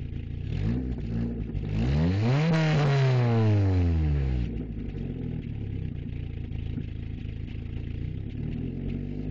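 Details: 1994 Jetta: the engine revs up and drops back with an uneven, choppy pulse and clatter about four beats a second; the owner is unsure whether it is a misfire or backfire, cause unknown.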